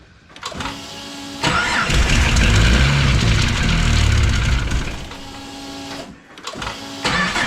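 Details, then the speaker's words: Tuned turbo engine (69mm/80mm turbo, factory variable valve timing, exhaust leak likely at V-band) after cold-start tune changes: starter cranks, engine catches, runs rough, dies and recranks; poor cold start from owner's tune error. "What is going on here? I might make a tune change. Yeah, that was my fault. I'd made some changes for cold start just because I was in it and I hadn't played with cold start much on this car."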